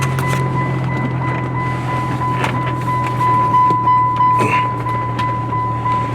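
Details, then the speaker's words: Roadster idling: persistent electronic chime, about three beeps a second; trunk wasn't closed, fixed by reopening the roof and closing it properly. "all right we figured out why it was making the beeping sound uh the trunk wasn't closed so we had to open the the roof back up again and just close it down properly"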